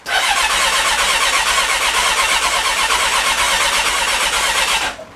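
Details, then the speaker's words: Rebuilt Honda CB1300, first start attempt with battery charged, clutch in and kill switch on: starter spins evenly for about five seconds with no firing. Electrics work and fuel smell present; owner fears fuel pump and may check spark. No start. "Okay, nothing's happening. Everything electrically is working, but nothing's happening. I hope that's not the fuel pump that's knackered."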